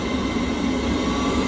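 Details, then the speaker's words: Baxi/Potterton Promax boiler with E133 fault, after cleaning the flame electrode and checking continuity to the board: burner relights and stays lit with a steady even roar, running normally. "there you go this actually stayed lit and it's running well"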